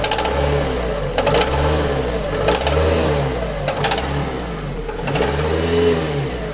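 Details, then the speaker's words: Engine knock from oil starvation: a rough knock rides each rev as the engine is blipped up and down, pointing to a starved bottom end. The noise started suddenly, the engine was leaking a lot of oil, and a burnt piston is suspected; teardown planned. "Vamos tentar descobrir que o barulho é esse aí ó barulho é no motor agora a gente tem que ver aí o que é se é pistão queimada a gente vai desmanchar o bicho aí agora para ver o que é certo o barulho tá feio aí"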